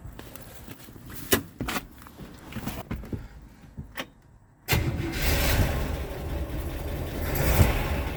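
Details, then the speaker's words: Buick Skylark just after start with a rebuilt carburetor, fed from a gas can, fuel pump working but spraying gas from a leaking hose: scattered clicks, then it catches at about five seconds and settles into a steady, even run. Lifter noise is quieting as oil reaches them. "it's definitely working but it sounds a lot better now that the now that we've got all all going up to the lifters it's quieting down a whole bunch"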